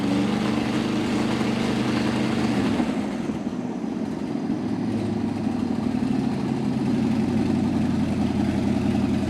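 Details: 1955 Chevy V8 stored 20 years, started with a 12.3 V battery after the front accessory kit and alternator were installed. It settles into a steady, fairly smooth idle with a slight early dip and no knocks or squeals; the alternator appears to work.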